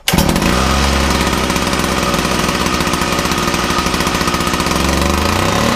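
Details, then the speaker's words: Makita DPC6430 two-stroke disc cutter, started with decompression and choke after carburetor jets were altered earlier: fires at once, then uneven buzz with wandering speed; runs rough, carburetor needs tuning, cause suspected. "Running a bit better. I'm now just going to try and fine tune that carburetor. Because I did muck about with it."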